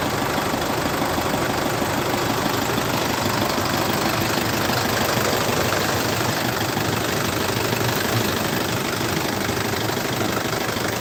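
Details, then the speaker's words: 2014 Isuzu D-Max 2.5 Z VGS diesel, about 70,000 km, first cold start of the morning: steady, even clatter at idle with no misses, knocks or surging; no smoke or oil spray; smooth, healthy idle. "ไม่มีน้ำยาแอร์6ก็คือรถสตาร์ทครั้งแรกไม่เคยสตาร์ทเลยนะครับนี่ดูครับเสียงเครื่องนิ่มมากเดี๋ฟังเสียงเครื่องกันนะ"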